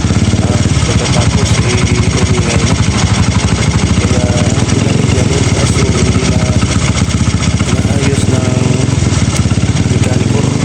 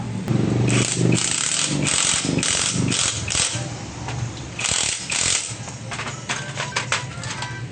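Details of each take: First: Honda XRM 125 single-cylinder motorcycle idling with a heavy, rapid rattling knock; a previous shop suspected the connecting rod; teardown found damaged, loose bearings (camshaft bearing cited). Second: Honda XRM 125 single-cylinder engine after repair of a knock by replacing a damaged camshaft and worn bearings; quick throttle blips, crisp exhaust and clean valve clatter, no deep knock beneath; normal running.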